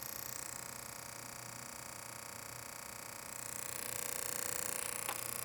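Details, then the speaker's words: Car boost controller solenoid in test mode, after rewiring to correct pin A11 and grounding the second wire instead of 12 V: quiet, even ticking about three times a second. Solenoid now cycles normally. "it's working. I really can't believe it took me like 3 weeks to figure out that boost solenoid issue."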